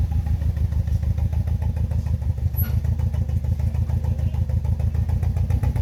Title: BMW E46 318i N42B20 misfire sound